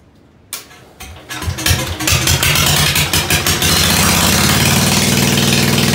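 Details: Ford 100 after tune-up, started with a shot of starter ether after sitting a while: a few uneven cranking chugs, then it fires and holds a smooth, steady run with no knocks or misses; engine healthy.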